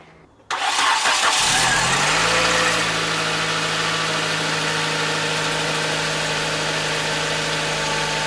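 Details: Nissan 100NX after misfire work: catches quickly and settles into a smooth, steady idle with an even beat and no stumbles; misfire fixed, all cylinders firing cleanly.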